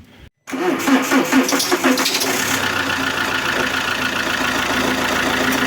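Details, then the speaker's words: Alfa Romeo 159 1.9 JTDm with P0340 code, just after timing correction: at start-up the belt gives sharp chirping squeals over a rough idle, caused by a bad alternator pulley and a worn belt; no ticking otherwise. "I can hear here the the belt squeaking that is because of the alternator the pulley of the alternator is bad that makes the belt squeak okay also the belt is not that good it is a male one"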